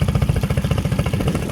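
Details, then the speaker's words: Honda outboard on a jon boat, just mounted and started: an even, low putter of about ten beats a second, steady and without misses; a normal, clean idle. "love this motor it was so nice to hear this thing start"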